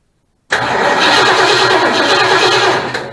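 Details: 1972 Mustang Mach 1, 400 big block, first start attempt after swapping in another control module: abrupt 2.5 seconds of harsh, busy engine noise that fades; whether the new module fixed it is unclear.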